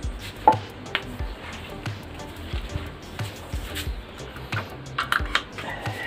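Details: Brother DCP-L2540DW laser printer at 277,000 pages, printing after the fuser assembly and a gear were replaced: scattered clicks and soft thumps with no grinding; normal operation after repair.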